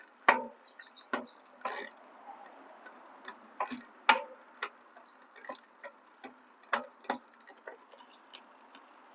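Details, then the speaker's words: Lectric XPremium e-bike after 1500 miles: the high limit screw on the rear derailleur is set too far, so the chain tries to jump from 7th to 6th gear, making sharp uneven clicks. The fix is backing off the H screw. "You can hear that clicking sound? That means it's trying to jump up. That excessive noise, what you're hearing is it's trying to jump up to the next gear, to the 6th gear."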